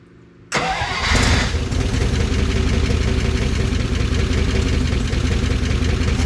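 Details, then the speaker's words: 1955 DeSoto Firedome Hemi V8, first start in decades after long storage and a squirt of fuel: fires abruptly into a lumpy, breathy idle that smooths slightly. It has bad blow-by, and the owner suspects a valve isn't sealing, possibly stuck. "did you hear it smooth out a little bit it's got really bad Blow by so it's getting compression in in the crank case somewhere one of the valves isn't sealing"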